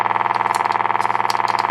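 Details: 1952 Peter Pan GKJ valve radio at power-up: fast, even putt-putt pulsing about fifteen times a second over the hum; motorboating caused by extremely leaky electrolytic filter capacitors.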